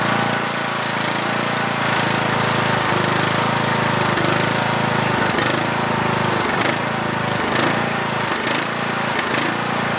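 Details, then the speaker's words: Cub Cadet lawn tractor with single-cylinder Kohler Courage engine starts and runs about 30 seconds, then stumbles, sputters and stalls; steady chug turning to repeated dips. Owner suspects dirty carburetor or bad gas; new spark plug didn't help. "because the tractor will start and then sputter out I guess it could be a batch of bad gas"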